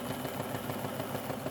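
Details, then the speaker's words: Vintage Janome sewing machine, powered on with controller pressed: steady, even motor hum with light regular pulse, no catching or grinding; motor runs smooth and healthy. "alright well I'll put my hand on the middle controller and see if as she runs beautiful nice smooth making him"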